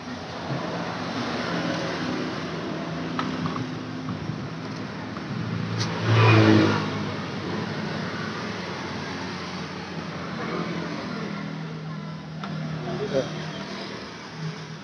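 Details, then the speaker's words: Scooter CVT centrifugal clutch after the repair, fitted with one part instead of two, since two sat too high and caught to make noise: engine revs up and settles with no scraping or rattle as the clutch engages. "kalau kita gunakan tadi dua itu ini lebih tinggi lebih tinggi ini nyangkut sama kita di mana menimbulkan bunyi cocoknya kita pakai satu dan ini jarak masih cukup tidak menggangu"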